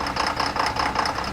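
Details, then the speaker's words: Chevy Silverado at idle, check engine light on, customer fears low oil pressure: idle surges and sags about every fifth of a second with busy ticking clatter; misfire or low oil pressure suspected, cause unknown. "mírela inestabilidad que trae este motor será problema en mi fire o será baja presión de aceite vamos a investigar"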